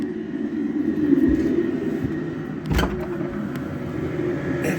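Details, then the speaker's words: Diesel heater just fired up in a cabin at 3–4 °C: even low burner roar with soft fan whir, no pulsing or popping, hot air from vent, normal running. "hear that i guess you can that's hot air coming out of the vent"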